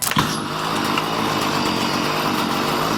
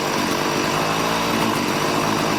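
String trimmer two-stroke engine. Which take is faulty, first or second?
first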